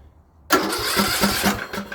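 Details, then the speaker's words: Craftsman LT2000 riding mower after exhaust reinstalled and blown through: catches instantly and settles into a soft, even putter with no rattle or knock; quieter than before, though governor later appeared stuck. "Check that out. nice and quiet. See if it'll start right up. Seemed quieter than it was before."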